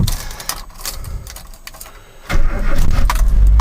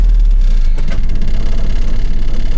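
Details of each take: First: 1985 Mazda B2000 ute, original carbureted 2.0 L engine, 310,714 km, no blow-by, recent clutch and gearbox: cold start with a little choke, quick crank, catches and settles into an even fast idle; healthy start. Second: 1985 Mazda B2000 ute, clutch and gearbox recently replaced: steady low idle without choke while pulling out, with a faint loose rattle over the engine note; source not pinned down.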